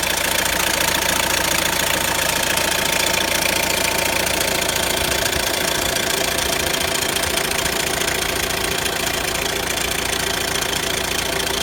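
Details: Renault Grand Scénic 1.6 dCi 130 diesel at idle: fast, fairly even metallic rattle over the clatter, about three to four a second; owner describes a noisy chain. Engine rattle at idle.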